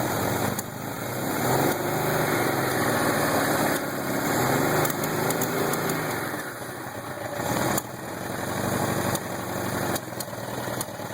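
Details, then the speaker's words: 1979 Suzuki GS750L after carburetor rebuild: engine revs unevenly with sharp popping whenever throttle is opened. "Trying to get it going. I hear this popping sound when I give it any acceleration."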